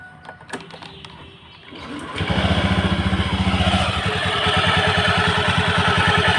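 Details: Honda Beat scooter, CVT cover off: starts and revs with loose rapid clatter from belt drive, harsh when throttled; extreme looseness found.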